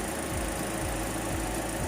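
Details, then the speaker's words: Toyota Rush idling with AC on after throttle body cleaning: steady even idle with smooth auxiliary fan rush and faint AC compressor hum, no knocks or misses; healthy engine with AC running. "so that's engine noise or engine sound engine behavior with ac on narayan auxiliary fan and no pressure now that's the compressor together with your auxiliary fan"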